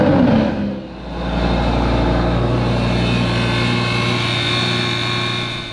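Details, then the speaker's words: Supercharged Lamborghini at 1:15 a.m. after every pulley was changed: steady engine hum with a new thin scraping, sawing whine; one replacement pulley is wider than the old one and rubs against a nearby pipe. "That's like a new noise. That is a new noise. Oh boy, that is not good."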